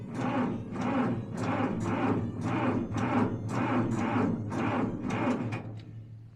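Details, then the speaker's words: John Deere diesel tractor, cold start without glow plugs, before the engine heater is hooked up: sluggish, labored cranking at about two strokes a second that slows and quits without firing; owner suspects a tired battery; slow cranking. "that's barely any so poor battery is kind of tired"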